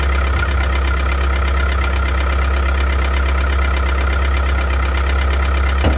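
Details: 1998 Mitsubishi DSM (Eclipse/Talon, 420A) four-cylinder idling steadily with a fast, even ticking knock over the low hum; owner suspects a rod bearing, unconfirmed.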